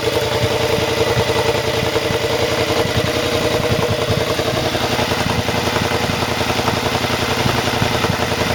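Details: Triumph twin with newly fitted rebuilt exhaust, running: steady with occasional sharp little pops crackling through the exhaust; running lean because the air injection system (AIS) is still connected.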